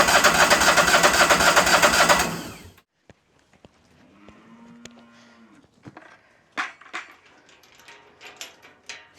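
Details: Old diesel machine, either the Ford tractor or the sawmill being worked on. Starter spins it hard for two seconds with no firing. Seems not to be pulling fuel, suspected; the solenoid is not heard clicking. Crank no start.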